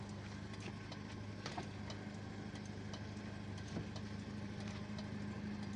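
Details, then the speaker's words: 2003 Toyota Kijang LGX 1.8 EFI, petrol, manual, started at the end of the inspection: a quiet, even idle hum with no ticking, knocking or misses. Normal idle. "Suara mesinnya halus, tidak ada bunyi anomali. Semuanya masih bekerja dengan normal."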